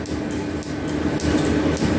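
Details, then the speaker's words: Restored metal planer, finished and on first test runs with belts fitted: steady clatter with even repeating stroke rhythm, no grinding or squeal; machine running and working well. "That's our machine. It's running. It's working. And I am really pleased."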